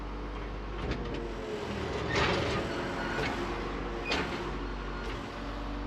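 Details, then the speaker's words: Used Komatsu excavator with a turbocharged diesel, 1,300 hours, hoses recently replaced; fires right up, and the steady diesel drone firms up while lifting a vehicle, with a few arm clanks and no knocks or squeals: healthy under hydraulic load. "Fire right on, and so responsive, and it's smooth. Easily lifts the vehicle like this."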